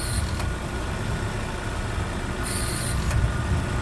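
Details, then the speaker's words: 1990 Citroen XM, 108,000 km, idling with engine running well: thin high whine of the suspension hydraulic pump cuts in briefly twice, about half a second each, topping up pressure, then quits; normal pump cycling. "I think that's what that is. And then again, it does it a few times and it quits."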